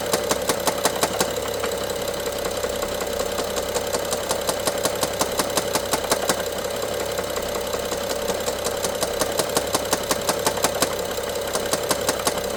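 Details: BMW F07 with N55 engine: fast regular ticking and knocking over a smooth idle, heard by stethoscope on top of engine, loudest at cylinder 1 injector and middle electrical connector; worsens with throttle, sometimes stops ~3 s; timing chain inspected OK, cause unknown.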